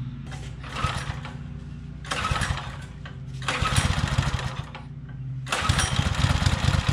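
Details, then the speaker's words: Baja Motorsports Baja Warrior mini bike, single-cylinder, started cold in very cold weather after an intake air gap was sealed with rubber and adhesive: a smooth, steady idle off choke with a few light throttle blips; the throttle felt a little weird. "that was easier than I was expecting that's already off choke and it's just sitting there idling as pretty as it can be"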